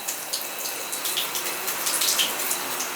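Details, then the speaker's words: Tub shower leaking through the first-floor ceiling: steady splashing hiss of running water with scattered drips; the shower head is dripping into the valve plate when tipped down, and the shower head is to be replaced. "oh i found your problem see the shower head dripping right there yep when i tip it down it's going right in the plate"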